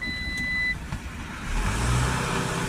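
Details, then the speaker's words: Citroen Relay 2.2 diesel with blocked DPF and vaporizer, P1490: after replacing the differential pressure sensor but before clearing the fault code, dash chime then flat low drone that won't rev; revs restricted to 1800 in limp mode. "still not getting revs. Yes, let's clear the fault code."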